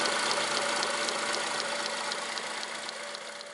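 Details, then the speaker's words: Honda Accord 7th gen, engine idling, knock first suspected from the power steering pump; PS pump and alternator bearings checked fine: light regular tapping about four per second from a six-month-old accessory drive belt, cracked and worn through. "во время работы двигателя образовался какой-то подозрительный стук непонятно откуда идет"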